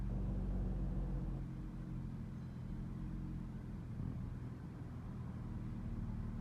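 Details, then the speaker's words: Chrysler after fixing code P2173 high airflow with a throttle relearn (key off, wait, restart): quiet, low, steady idle with no stumble or shake; earlier vibration, misfire and flashing check engine light are gone; normal idle. "Wala na yung vibration ng makina at wala na yung nagpa-flash doon."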